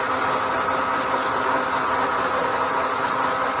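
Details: Roller chain drive with a newly mounted 12 V motor running unloaded: a steady, high-pitched whirring rattle, even and constant throughout; the chain is adjusted too tight.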